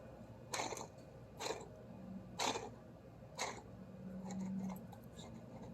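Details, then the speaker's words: Toro TimeCutter SS 4225 zero-turn mower, idler pulley removed during drive belt replacement and spun by hand: rough, gritty rasps about once a second; worn idler pulley bearing, should be replaced. "sounds sounds bad I would replace it for sure this one sounds bad as well"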